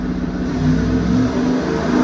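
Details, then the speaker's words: Freshly rebuilt Ford FE 390 V8 for a 1967 F100, Aces EFI, computer-controlled full-throttle dyno pull: strong even roar, no misses or knocking; healthy, making 320 and 404. "That thing sounds good. It does sound good."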